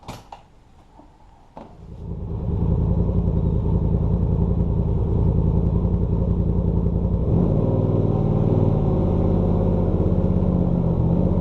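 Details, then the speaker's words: 2019 Polaris RZR Turbo XP still in the air after front diff axle seal replacement, run to spin the rear wheels and engage the front: it catches after a couple of cranks and settles into a strong, even drone, running smooth and healthy. "let's go ahead and start it up get the back tire spinning engage the front tires and we'll see if this still works"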